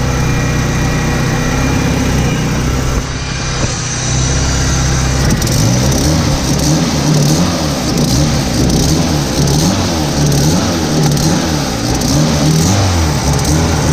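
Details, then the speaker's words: 1991 Mitsubishi Galant VR-4 with custom turbo kit, Precision 5558 turbo and welded custom turbo manifold, E85, 3-inch exhaust; revving and settling with a sharp puffing tick following engine speed; exhaust leak, owner suspects the V-band clamp isn't seated or tight. "well looks like the v-band might not be on quite correctly on the board just needs to get more Titans not too sure"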